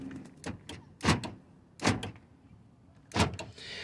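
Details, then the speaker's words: 2000 Mercury Mountaineer whose windows won't roll down: three crisp, solid thunks about a second apart as the power locks cycle; lock actuators have power and work normally, on a separate circuit from the windows. "Your lock and unlock got power, and so does your mirror to adjust your mirrors."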